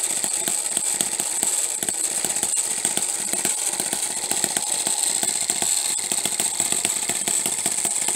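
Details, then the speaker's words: Homemade miniature 4-stroke hit-and-miss engine with a half-inch stroke, running; sharp pops in bursts, then a skip while the flywheel coasts as the governor locks out the exhaust valve, cycling cleanly. "so you can hear it fire and then coast and uh looking right through here you can see that little governor expanding and that's when it it locks out the exhaust valve"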